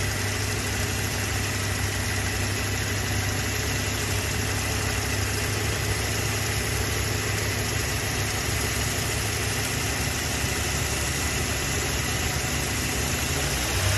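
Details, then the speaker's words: Toyota Hilux 3RZ-FE 2.7 L petrol after idle-screw adjustment to about 900–1000 rpm (drops under load, may drop in cold). Steady, even idle hum, constant beat, no misses or surges: normal idle. "so realistically you want to do like 900 to 1000."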